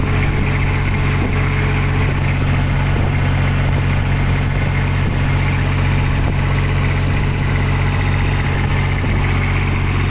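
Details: Kubota diesel on a tower light, previously not starting, after fixing a clogged primary fuel filter, loose fuel hoses and an air lock: steady, even low chug at idle with no misses, knocks or hunting; healthy and settled.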